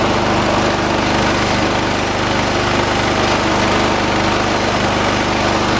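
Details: 1986 John Deere 216 lawn tractor, 16 hp single-cylinder Kohler, carburetor being set: steady fast thumping, slightly uneven beat, no distinct knock; shake considered normal for these engines; rough running.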